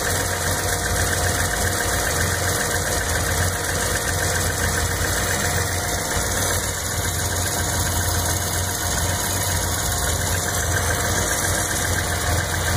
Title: Z noise (bad alternator)